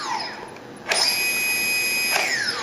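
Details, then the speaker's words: Turnigy SK450 quadcopter motor after reflashing the ESC, full-throttle test: it jumps straight to a high, steady whine, then winds down smoothly, with slight transmitter-to-receiver lag. Normal, quick throttle response. "of course there is going to be a bit of lag between the transmitter and this the receiver which you can hear there so but theot the motor itself is really responsive"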